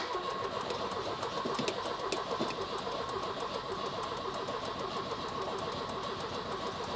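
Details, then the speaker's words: Volvo 240 petrol engine, previously run from a remote fuel bottle, now on its reconnected fuel system with a booster pack, being cranked with a little choke: the starter spins steadily but no cylinder fires. Crank no start; weak spark suspected. "A little bit of choke. Oh, good grief, she just don't want to go, does she?"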